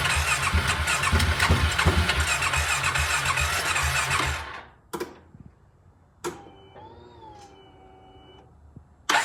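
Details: 2015 Polaris Ace 570 after complete rebuild, fresh cylinder, piston and connecting rod, first start; no air filter so loud, steady even single-cylinder beat, shuts off cleanly; normal running.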